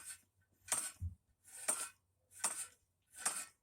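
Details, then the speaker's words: Harley Sportster front wheel, a 21-inch 40-spoke rim laced to a 1974-77 big-twin hub, spacers swapped: sharp scraping rasp about once a second as the wheel turns. Outer spokes rubbing the brake caliper. "every time it gets on an outer spoke certain areas it wants to hit you can hear it there"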